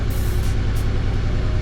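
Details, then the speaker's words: Nissan Xterra V6, 135k miles, idling with a deep, lumpy, uneven thump and flashing check-engine light. Misfire codes P0300/P0305 point to cylinder 5, fixed by coil pack replacement. "So I mean, it's running so rough right now, I'm actually going to turn it off here, but it's tripping a code here, and that code happens to be P0300 or P0305."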